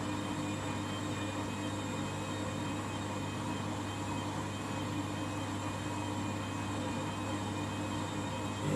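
A steady loud roar with a low hum and a high whine that hold even through the spin; this washer is unusually noisy at top speed.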